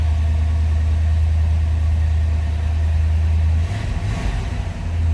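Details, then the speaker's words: 1964 Chevrolet El Camino, 86,170 miles on the odometer, started cold, starts easily: deep, smooth, even idle with a steady low rumble and no knocks or misses; normal idle. "it's a nice running vehicle. Starts easily."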